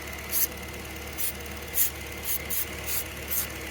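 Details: 1994 Toyota Previa LE SC AllTrac, ~3,200 miles after head gasket replacement, intermittent P0171 lean code, new injectors: steady idle hum with hissing spray bursts, engine speed unchanged; no vacuum leak at tested spot.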